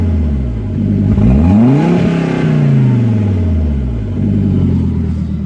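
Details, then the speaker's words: 1998 Volvo C70 engine, partly warmed up (not a cold start), before catalytic converter removal: revs rise and fall with an uneven, lumpy note and slight stumble as revs climb; rough running when revved, cause unknown. "kind of warmed it up a little bit already didn't want to do this on a cold start but that's not running quite right"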